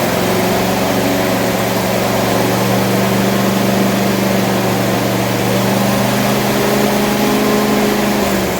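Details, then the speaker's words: Rover engine after start/stop fix: steady fast drone with constant tone, well above normal idle; owner thinks revs are probably too high, cause not yet found. "But as you can hear, probably the revs are way too high."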